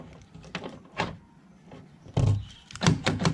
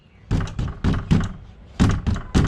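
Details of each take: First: Tata Sumo Gold door after fixing a rattle with a cable tie and resetting a lock that would not lock: several crisp, solid thunks as it cycles locked and unlocked, no rattle or hesitation; normal door lock operation. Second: Tata Sumo Gold door rattle when the door is closed, driving or engine running: hollow thuds in uneven groups with a loose knocking tail from wiring connectors slapping inside the door panel.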